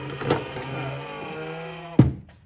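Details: EGO 56-volt lawn mower battery charger, with a battery inserted, before repair: a steady low hum with a rough, uneven buzz underneath that stops abruptly; the charger's cooling fans are worn out and failing, and the owner plans to replace them.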